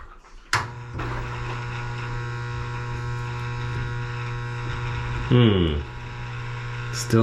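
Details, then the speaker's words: LG WM2301 front-load washer, hot fill after new inlet valve fitted: steady low electrical hum with no water rushing in; valve is powered, so supply to the valve is suspected. "not getting any water flow all right this is very odd our valve is getting power we have a new valve so I don't think that's the problem anymore"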